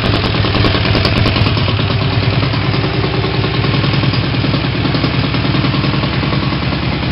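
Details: Triumph Tigress 250 scooter after full rebuild with rebuilt Zenith carb swapped in; runs fast, slightly uneven with sharp rapid chuff as the RH exhaust pipe, not fully attached, blew free at the manifold; no valve clatter: exhaust leak.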